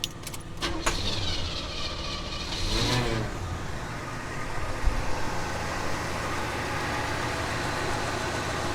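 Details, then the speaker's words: Cold start of second Oldsmobile Delta 88 V8 (1967/1975 comparison), fast idle still on: starter cranks, engine catches and settles into smooth, quiet, even idle, exhaust barely audible, no knocks or misses; healthy engine. "so similarly smooth and quiet just wonderful magnificent engines you can barely even hear the exhaust on this car this one's cold so the fast idle's still on"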